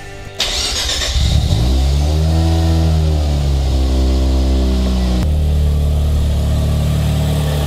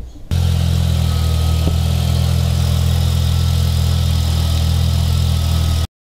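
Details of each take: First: 1988 Mazda RX-7 FC3S rotary, warmed up after coolant burping, after exhaust leak repair: fires, flares briefly, then settles into a steady, even idle with no leak puffing. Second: 1988 Mazda RX-7 FC3S rotary idling with a loud, deep, raspy drone; serious exhaust leak making the cabin loud and smelly, later searched for by pressurizing the exhaust with a vacuum and soapy water.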